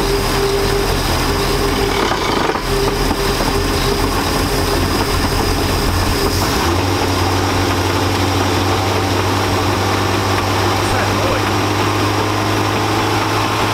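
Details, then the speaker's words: 1999 Chaparral 1930 SS with a Mercruiser engine, warmed up, idling in gear: low droning hum with an added tone that shifts partway through, a strange sound from the transom/outdrive; owner wonders about an exhaust leak but doubts it, as no water comes in; cause unclear. "boy so i don't know man maybe it's an exhaust leak but i feel like if it was exhausted we'd have a bunch of water going in you know what i mean"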